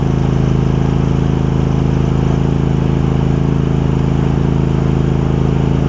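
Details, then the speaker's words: Craftsman garden tractor Kohler CV20 twin, warmed up, after carb clean: steady even drone under load while driving, slight bog when load comes on, no surging once settled; running cleanly. "you hear it's running much better you'll hear it kind of whenever you get any load on it right there they must these these mowers must just not have a lot of torque to them or something but you hear it's not surging or anything once it Finds Its Groove it's good"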